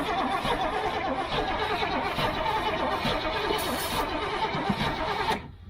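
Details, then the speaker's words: Old gasoline GMC bucket truck with choke pulled out: long steady cranking, no catch or firing, cranks but won't start; fuel filter removed shows no fuel coming through. "but a no fuel in it yeah there ain't no fuel in it for sure so no fuel's coming up this"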